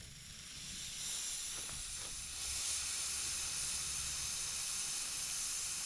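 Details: Custom diesel Power Wheels with undersized radiator, PVC coolant pipe leaking, temperature still about 200 after cooling; steady loud hiss of escaping steam over faint engine rumble, cooling system boiling over, owner suspects air bubble or water pump issue.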